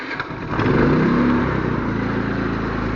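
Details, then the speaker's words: iQ3500 generator, previously no spark, after repair: the small engine picks up as a 1500-watt load comes on, then holds a steady, quiet, even hum without hunting; running properly under load. "that is super quiet. Now that's the way it idles of 1500 watts, so you can tell a little bit about the surge."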